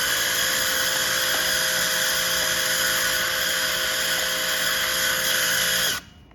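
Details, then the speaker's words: High-pressure washer, previously repaired, with trigger released: steady high hissing whine with faint buzz running on instead of stopping, plus clutch noise; abnormal running, trigger-stop failure, owner suspects damage. "e ela com o gatilho desligado era para ela ficar desligado Ela não fica mais E além disso ela faz esse barulho da embreagem"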